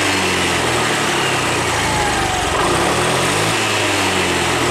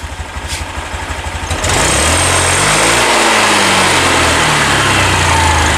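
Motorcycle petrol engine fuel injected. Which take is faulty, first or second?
second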